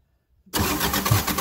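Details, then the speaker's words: JCB 208S backhoe diesel that sat for years, cranked on the starter after an injector pump overhaul with fuel bled: even, steady cranking rhythm with no catches while the pump shoots fuel from every injector line. "i want to show you now what this injector pump looks like when you're turning over the engine now that it's been basically overhauled"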